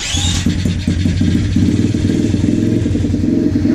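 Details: 125cc project motorcycle after rebuild with a new throttle, spun over with a drill: the engine catches after a brief spin-up and settles into a quick, even popping idle with a steady beat; runs normally.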